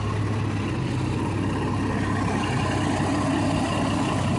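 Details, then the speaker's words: 1989 Jeep Cherokee Pioneer 4.0L I6 Renix, first start after overhaul: steady, even idle with low constant drone and no knocks; healthy, though owner notes slight rocker tick and wonders if harmonic balancer wobbles. "i don't know but uh everything else sounds like it's doing good"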